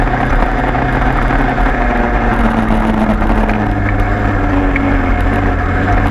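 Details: 103 moped two-stroke after leak fix, plug found very rich: steady buzzing idle holding even pitch, no stumbling or surging; runs cleanly.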